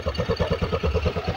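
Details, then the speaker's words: Honda Beat carburetor scooter with high fuel use; after fixing a pinched automatic-choke cable, carb not yet serviced: steady, even idle of soft pulses with no surging or hunting; idle now stable. "oke Ya ini RPM sudah terdengar lebih enak ini Mas gak engak ginjal-ginjal seperti di awal ya ini sudah lebih stabil rpmnya"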